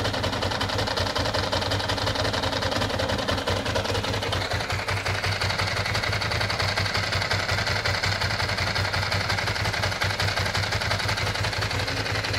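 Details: 1996 Ducati 600 Monster twin at a lumpy idle, with a dry, uneven ticking chatter of about three a second over the beat. Mechanical engine noise, cause unclear.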